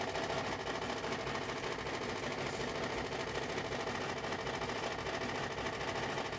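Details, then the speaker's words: New Frigidaire Gallery FGHB2868TF7 refrigerator: constant loud droning hum with a rough, buzzy edge, unchanged throughout, far louder than a fridge should run and carrying through the house at night; loud refrigerator running noise. "first of all the huge noise level it's it works like a tractor so if you want a tractor in your kitchen go ahead and buy frigidaire"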